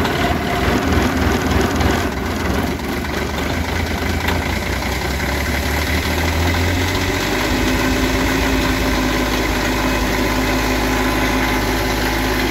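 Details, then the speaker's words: Kioti CS2510 tractor diesel cold start at about 33°F on February 8, first start since October after subzero storage, glow plugs used: catches and settles into a steady, even idle, firm low thrum, no misses or knocks; normal. "this will be the first time it started since october there's that so it's been a while it's uh february 8th it's about 33 degrees outside so let's see"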